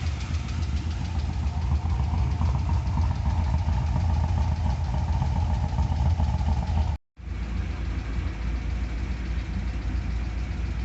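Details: 2002 LS1 Corvette V8 idling after a Brian Tooley BTR Stage 2 cam (227/238, .620/.605 lift, 113.5 LSA): light even tick about three times a second; sounds better warmer; owner unsure if normal.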